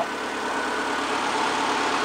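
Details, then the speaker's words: 2001 Kia Sportage test drive after replacing the driveshaft center support bearing that caused a loud scraping noise rising with speed: steady, even drivetrain hum with no knocking, clunking or grinding; runs quiet and healthy. "[Applause] [Music] [Applause] puring like a kitten"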